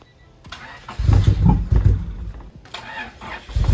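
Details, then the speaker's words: Honda Civic EG hatch project car, long-sitting with treated old fuel and weak battery: short crank, then engine catches with a few uneven low thumps and keeps running; starts fine. "oo there we go so that's how it sounds like right now"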